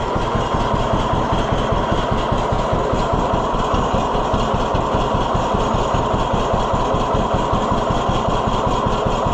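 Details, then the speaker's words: 1948 John Deere B tractor after Wico X magneto work: regular, even two-cylinder putt at about two and a half beats a second, no misses. It fires back up instantly and idles lower than before, showing the hotter spark helped. "Oh, fires back up instantly, though. That's how I know it it did make a difference."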